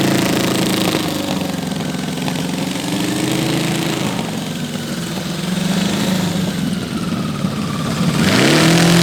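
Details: Custom V8 built from eight Tillotson 212cc go-kart engines, about 100 hp, on a go-kart: wandering revs and ragged, uneven firing as the throttle rises; running rough on choke on some cylinders and needs jetting.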